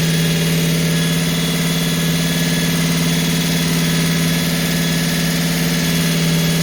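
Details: Holden HQ 308 V8, first start after full rebuild to stock spec (bores re-sleeved to standard 101.6mm), Crow Cams 5651 cam (493 lift, 282 duration, LSA 114) for fair-medium idle; steady slightly lumpy deep even idle, no misses or knocks: normal idle.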